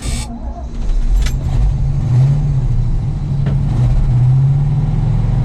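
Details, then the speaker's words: Cold start of an old carbureted Ford grain truck on a snowy day with no block heater: the engine rises and sags as the throttle is pumped, falls off rpm and stumbles, never holding a steady speed until it warms. "hold the pedal we're falling off rpm give it a couple of pumps fine you can do it"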